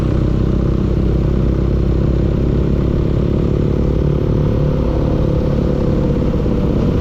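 Steady engine running with a hard, continuous clatter through the low rumble; there's a knock in there, but the cause isn't clear.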